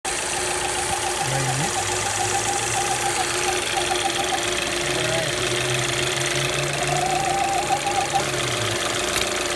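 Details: Alfa Romeo Spider JTS petrol engine at idle: steady thin whine over the idle, thought to come from the crankcase ventilation system; cause suspected, not confirmed.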